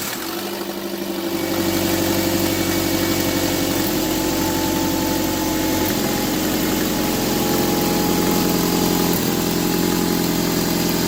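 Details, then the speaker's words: 2003 Nissan 2.5 replacement engine, first firing: catches and settles to idle with faint fast puffing tick about three a second; exhaust leak, suspected bad gasket or loose flange needing tightening. "see what's going on with the exhaust think maybe the gasket is bad maybe they both need to be tightened down"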